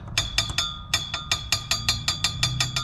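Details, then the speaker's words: 2017 BMW 330i (F30) underside: bright metallic clinks about five a second as emergency brake cables rattle, because the small retaining clamp is broken on both sides; fix needs exhaust and gas tank dropped. "shouldn't be making that noise. And if you can see up in there, there's a little clamp, and on both sides it's broken."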